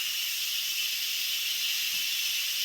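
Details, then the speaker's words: Instant Pot quick pressure release after cooking frozen vegetables: steady, loud, unbroken hiss of venting steam lasting about two minutes; normal. "release the pressure on it and wait till it releases takes about 2 minutes to release"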